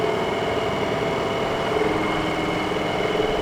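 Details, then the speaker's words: Dometic RV furnace: a steady, weak blower whir with a faint hum and no strong surge; the fan motor turns too slowly to hold the sail switch closed while supply power is good, so a bad fan motor is suspected. "fan still doesn't sound good that motor doesn't sound good"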